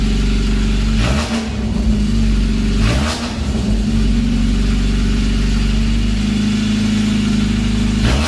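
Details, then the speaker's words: Mazda MX-5 Miata with eBay aftermarket headers replacing cracked leaking OEM header, running open headers with no pipe behind: harsh raw bark at idle rising sharply with three quick blips, very loud and unmuffled; straight pipe or muffler planned. "yeah it's really loud so yeah have to turn it off real quick but yeah it sounds really loud it's just from the white pipe out"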